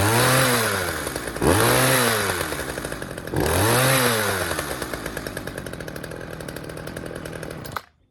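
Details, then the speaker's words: Poulan 2150LX chainsaw after recoil spring replacement: on each blip the revs hang high and sink back slowly, last run-down taking seconds; throttle sticking because a fuel line was in the way of the throttle linkage. "All right, sounds like the throttle is sticking a little bit. Let me see what's going on here."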